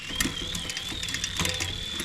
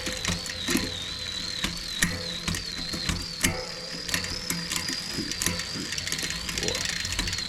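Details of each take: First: Shimano 11-speed rear derailleur during indexing after derailleur, hanger and shifter cable replacement: spinning chain whirs with scattered rough clicks and grinding climbing onto larger cogs; grinding on upshift, adjustment not yet right. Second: Shimano 11-speed derailleur after replacing the derailleur, hanger and shifter cable, during adjustment and indexing: light steady chain ticking, sharp shift clicks and a soft whir, no grinding; shifting much smoother.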